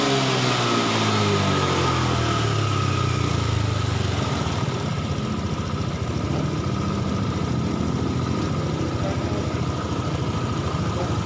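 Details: Honda Beat Eco injected scooter after the fuel service, idle raised to 1600-1700 rpm, injector pulse 2.3-2.4, battery voltage and O2 sensor normal, settling from a brief rev into a smooth, even idle with no misses; normal idle.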